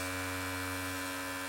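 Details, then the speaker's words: Mac Mini optical drive spinning a game disc: a constant low buzzing drone with steady hum, strong enough to vibrate the machine across the desk. Cause unclear; a poorly balanced or faulty disc is suspected. "oh that sounds pretty the whole system is moving like vibrating itself across the desk why is that happening"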